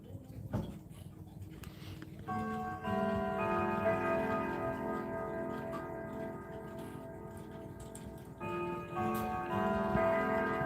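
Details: Tall 7.5 ft grandfather-style clock playing Westminster chime: clear melody over a steady, evenly spaced tick; clock striking and running normally.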